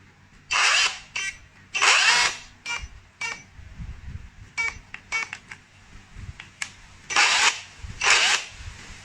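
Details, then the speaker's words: Dongcheng rotary hammer with motor rubbing: runs in short harsh bursts with a scraping rasp, rotor rubbing stator, stopping and starting under load. Likely a damaged bearing lets the rotor wobble; not a controller fault. "到这个声音是明显的异常，就是有这个转子跟定子摩擦的声音。那么像这种情况一般考虑的是轴承损坏。"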